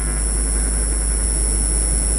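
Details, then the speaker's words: Car amplifier playing a 50 Hz test tone into a test speaker through a 100-volt capacitor filter, gain turned down: only a faint, deep, clean tone with no fuzz; gain set correctly, no clipping. "When you get to where you're not hearing the fuzzy, all you're hearing is a very faint 50 hertz tone, nice and deep, no fuzziness to it, then you're good."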